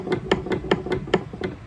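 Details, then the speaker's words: Homemade fishing lure bait turner driven by a DC motor salvaged from a treadmill: at higher speed, light sharp clicks about four or five a second come from shaft play; owner may add a bearing. "See, if I speed it up, you can hear that little clicking, but that's as fast as it'll ever turn. And I may eventually, it won't even be turning that fast."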